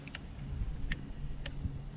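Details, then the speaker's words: Backyard sump pump plugged in after cleaning a crud-clogged impeller: faint, sharp clicks about every half second over a low pump hum as the float switch kicks on and off normally. "I can hear the float kick on and"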